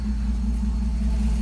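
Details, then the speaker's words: 3rd-gen Ram 5.7 Hemi V8 after header install fixing manifold leaks: deep steady even idle rumble, no ticking or puffing, zero leaks. "We got 0 leaks everywhere. I still got to put the splash shields back. I still got to put the rim and tire on the other side. She sounds great. Absolutely great."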